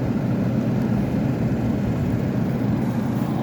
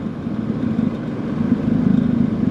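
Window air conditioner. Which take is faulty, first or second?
second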